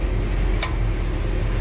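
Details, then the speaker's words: 2021 Ford Explorer, 22,000 miles, hub cap removed, loaded in gear at idle: one sharp metallic ting at the rear CV axle/hub; no real fix, both rear CV axles to be replaced, though the click reportedly returns in about six months. "sometimes you got to load it up too man there it goes do it there it is again that there it is again"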